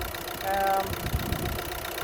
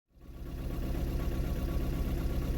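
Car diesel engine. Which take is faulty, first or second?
second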